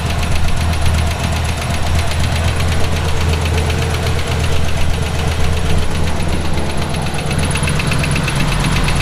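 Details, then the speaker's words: Route 66 Buick: a noise appeared while driving. It is a deep bottom-end knock that quickens with RPM. It is not exhaust or a lifter and seems to come from down low, so rod knock is suspected. "it does increase with [Music] RPM it's not exhaust I thought naively for a minute it might have been a lifter it's not sounds sounds like it's coming from down low which of course means rod knock"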